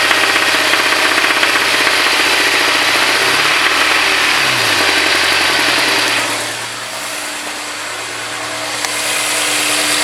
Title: s2000 .. uh oh rod knock